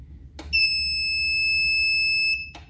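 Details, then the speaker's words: 1000W pure sine wave transformer inverter with charger, settings menu before turning off program 18 alarm control: click, one clean high beep held about two seconds, another click; normal key-press beep, switched off as noisy. "Jadi ini untuk alarm kontrol. yang bunyi beep tadi bisa di on kan dan di off kan ya. Kita off kan saja karena berisik."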